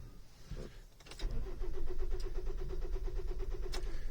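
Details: Kia Venga with a gear-selection problem, shifting smoothly with the engine off: on start, a quick, even pulsing whirr at about three beats a second over the engine; owner suspects the clutch not releasing fully, hydraulic side.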